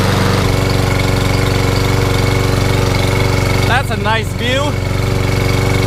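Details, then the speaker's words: Toro Recycler walk-behind mower previously hydrolocked with oil, after about 15 minutes of running to burn oil out of the exhaust. A steady, even single-cylinder beat near three firings a second, with no misses or knocks. Normal running. "it's been running for about 15 minutes much better"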